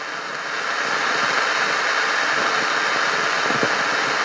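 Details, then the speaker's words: Yaesu FT-1000MP transceiver with volume turned up: loud steady hiss with pronounced crackles and pops from the speaker; unstable 9 V regulator output, fault suspected in the AF unit or an intermittent short on another board, not confirmed. "you hear that cracking and that popping in the speaker it's pretty pronounced it's really loud right there"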